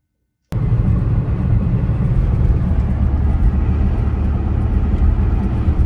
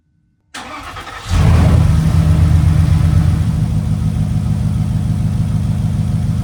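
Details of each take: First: Porsche, cylinder 3 misfire (P0303) being chased by swapping parts: low, even rumble with no stumble or skipped beats over six seconds; engine runs smoothly with all cylinders firing, normal running. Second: Porsche engine with code P0303 cranks, catches, then settles into a low, uneven, stumbling idle. Cylinder 3 misfire, with components swapped between cylinders to find the fault.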